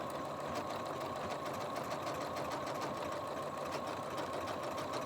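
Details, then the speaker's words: Janome 15000 Horizon embroidery machine just back from repair, stitching a decorative stitch: quick, even rhythm around three stitches a second, no clunks or grinding; normal running, earlier failed to pick up bobbin thread. "perfectly normal after a while I'm used to the different sounds this machine makes and this is the sound it should make when everything is running perfectly normal and it seems to be not having any problem whatsoever doing this decorative stitch"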